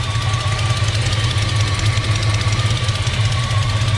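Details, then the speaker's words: 1972 Chevy C-10 Custom Panel Wagon V8 with headers, automatic and Flowmaster dual exhaust idles with a deep rumble and a light, quick tick from an exhaust leak under the hood on the left side of the engine; probably just a gasket. "got an exhaust leak up under the hood here on the left side of the motor"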